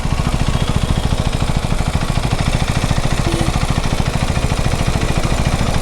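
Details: KTM Duke 390 motorcycle at idle: a deep, rough pulse of about three to four beats a second with a loud, uneven clatter over it; abnormal engine noise, cause unclear.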